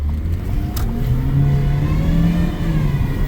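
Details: 2014 Ford Escape turbo with boost leak and suspected worn wastegate solenoid causing overboost and throttle cycling: a thin tone climbs in pitch over the engine under acceleration; whine from driveline/transmission suspected, not confirmed.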